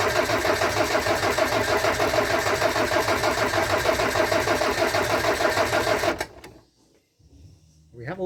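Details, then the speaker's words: Land Rover Discovery 300Tdi diesel, first run after a donor engine swap with a mechanical injection pump, new timing belt, alternator, turbo and valve clearances set. Steady, even idle clatter at about three beats a second, no misses, before shutdown; the oil pressure light goes out. Normal idle. "oh pressure light's gone out amazing good that sounds mint as well that sounds really"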